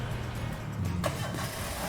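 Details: Used car engine started during a pre-purchase engine inspection: it cranks briefly, catches cleanly and settles into a steady, even idle with no knocks or misses; a healthy start.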